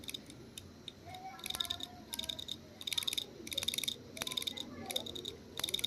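Sharp, dry clicks in short repeating bursts roughly every two-thirds of a second over a quiet hiss; the hard drive is clicking.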